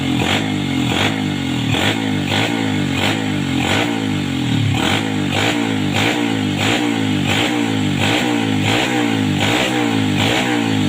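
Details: 2007 Yamaha Vega R after carburetor cleaning for sputtering and coughing; blips up and settles in steady even pulses, clean pickup, no stumble or misfire; normal revving.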